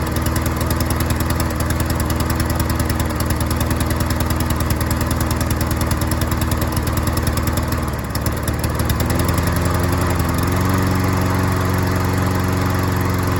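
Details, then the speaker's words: Troy-Bilt self-propelled mower after carburetor needle seat and gasket repair: steady single-cylinder putter that dips briefly, then settles smoothly; mows without hesitating or struggling, normal running. "Hey, it mowed really good. It didn't hesitate or struggle or anything like that. It mowed really, really well."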